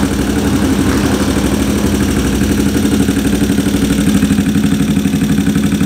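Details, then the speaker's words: Racing cam engine with large valve overlap and tight valve clearance, lumpy uneven idle pulsing about four times a second and struggling to stay running; the carburetor is ruled out and the overlap is blamed. "ah malaking overlap Mahirap mag ano mag idle saka kapagka manipis yung valve clearance mahirap siya mag mag idle"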